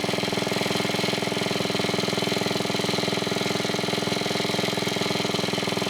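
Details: 1980s Onan 1.7 kW generator after carburetor cleaning, air filter refitted: fast even buzzing at constant speed, no surging or misfires; it briefly shut off once, owner unsure why, maybe clogged again, but overall working.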